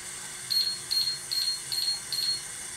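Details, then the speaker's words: Hoshizaki nugget ice machine that beeps and quits making ice: five short high beeps, about two and a half a second, from the control board, a freeze timer alarm (water valve off 30 minutes). "we got five beeps all right so as you heard we have five beeps coming out of this control"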